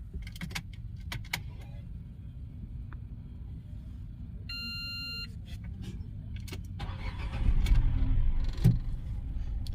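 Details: Renault petrol engine after rat-chewed injector wiring on two cylinders was repaired with new couplers. The car had been starting then stalling with the check engine light on. Now a dash chime, a quick short crank and a steady idle, with no DTCs found.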